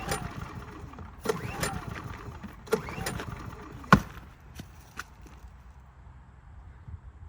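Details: Brand-new Harbor Freight Predator 3500 generator with new oil and fuel stabilizer, hard to start warm or cold though it passes load tests once running: four or five short cranking bursts that die out without catching; won't start.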